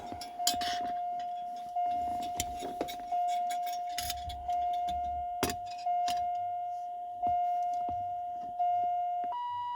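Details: 1980s Lincoln Town Car door/key warning chime being replaced: a steady high-pitched beep drones continuously under the clicks of handling because the key-in switch contact is touching all the time.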